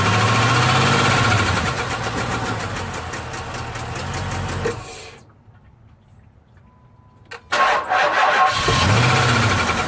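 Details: 6.1L SRT8 HEMI V8 with a random cylinder misfire: rough idle and run with a stumbling beat and light ticking, then a pause and a rough restart.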